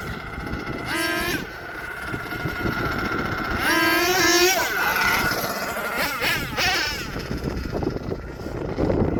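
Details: HPI Savage XL twin nitro truck with Twinzilla kit: two small nitro motors rev unevenly, one screaming up in pitch while the other lags and catches up; motor 2 out of sync, before linkage setting and tuning.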